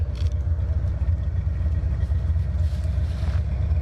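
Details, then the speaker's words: 1984 Mustang GT-350 V8 with a new exhaust, transmission work, cooling system work and a tune-up gives a deep, lumpy warm-idle burble, sounding healthier than with the old exhaust. It holds 195 degrees with good oil pressure, though the owner hears a lifter collapsing. "This thing sounds phenomenal. It sounds a hell of a lot better now than it did with the other exhaust."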